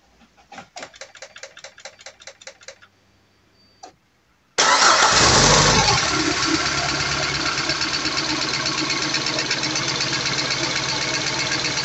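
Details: Peugeot 206 CC S16 first start after replacing hydraulic lifters, new timing belt and accessory belt: cranks, catches, settles into fast light ticking over idle while oil pressure builds in the new lifters.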